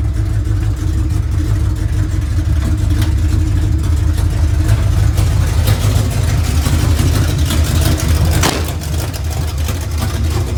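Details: 1970 GMC with big-block V8, sat 10 years, first run in shop: uneven lumpy idle with occasional stumble, a miss at idle, cause unknown; starter keeps running after start, transmission slips in reverse.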